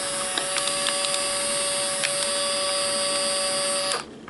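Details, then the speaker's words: Fujifilm Instax Mini 7s instant camera: a steady high-pitched motor whir of about four seconds between photos, then a clean stop. This is the normal sound of the mechanism that drives out each film sheet. "ese zumbido que se escucha al final entre cada fotografía es precisamente el mecanismo que hace recorrer o extraer cada una de las filminas"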